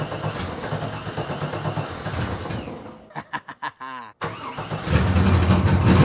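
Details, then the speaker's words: Newly wired race car's first start in very cold weather after checking for fuel and oil leaks: starter cranks a few seconds, then the engine catches and settles into a steady, even idle; clean start. "Okay. It's working. Let's check oil level, add some water, do some stuff. It starts."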